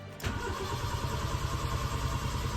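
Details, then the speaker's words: Honda Civic project car, first start attempt after sitting. Coolant gauge reads half, sensor suspected broken. Starter cranks steadily and evenly at good speed with no clicking or dragging: normal starter cranking. "So, the starter motor is working. Oh, guys, come on. Wow. I don't believe it."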